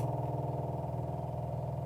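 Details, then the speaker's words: Airboat fuel system after replacing the old Facet pump with a Seachoice Gold-Flo electric fuel pump, new wiring and in-line fuse: at switch-on, a low electric hum with quick even pulsing for about two seconds, then cuts off; normal fuel pump running. "All right. So hopefully I flip flip the switch here and we can hear the pump turn on."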